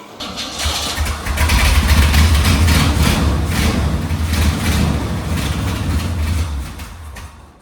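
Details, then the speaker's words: Old GMC Squarebody K10 sitting for years, fuel poured into carburettor: cranks, catches and runs with a deep steady rumble for several seconds, smoky, then fades as the poured-in fuel burns off; tank fuel not picking up, likely bad. "So, uh We got it smokey in here. But, she's a runner."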